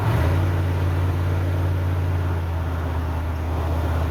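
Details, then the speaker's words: 1988 OBS truck after new ignition module, cap and rotor, warmed up: uneven, loping idle with irregular low thump three to four times a second; misfire persists, so the cause lies elsewhere. "Hoping as it warmed up it would clear up a little bit, but it sounds just as unhappy as it normally does. So taking it that none of that was actually our issue, we got something else going on,"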